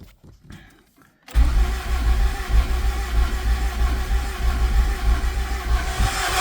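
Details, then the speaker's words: Honda Accord CB9 with freshly swapped-in F20B engine, cranking with clutch switch jumpered and oil pressure switch not yet connected; starter spins the engine with an even, low churning rhythm, no knocks or hesitation, cranking over smoothly. "But, it sounds good and it sounds like it's cranking over very smoothly."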